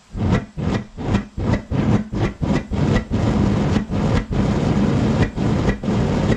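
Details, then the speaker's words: Gas furnace with a homemade Frosty T replacement burner, air intake blocked off almost completely: roaring flame surges up and down about 2.5 times a second, hunting at different gas pressures, gas audible; burner flame pulsating, burner tube suspected too long. "sweet i had to keep blocking the air off almost almost all the way blocked off and it kept on doing that hunting and that was it different pressures on here you could hear the gas coming out"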